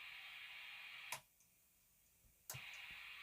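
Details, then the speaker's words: 1991 ART Power Plant guitar preamp, about 30 years old: a steady high background hiss drops out for about a second, then returns just as loud, described as a wee bit noisy. "so all right let me stop yapping it's a wee bit noisy too"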